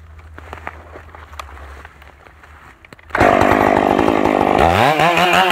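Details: Stock MS461 with eBay ported muffler, well worn, over a year of cutting; hand round-filed chain used a week, no touch-ups; cutting a cookie off felled red oak. Bursts to full throttle, holds steady biting into log, strong even cut: sharp chain.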